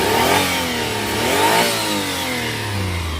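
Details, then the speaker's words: 1998 Daihatsu Atrai Classic van, 660cc twin-cam 12-valve three-cylinder, automatic, RWD, about 116,000 km: a couple of smooth free revs rising and dropping back cleanly, no knocks or rattles; healthy engine, quiet with engine-bay sound deadening. "very nice healthy sounding engine nothing crazy"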